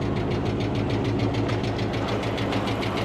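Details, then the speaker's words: Tornado-damaged Dodge Scat Pack that has sat parked a long time. Steady idle with a light, quick tapping at about three per second; a lifter tap is suspected, not confirmed. "that engine tapping? Damn, man."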